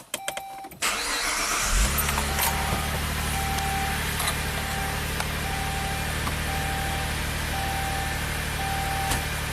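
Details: Saab 9-3 V6 Turbo after no-crank fault, eBay replacement engine computer programmed with Tech2 to the immobilizer: short crank catches at once and settles into a steady, even idle with no misses or knocks; engine runs properly.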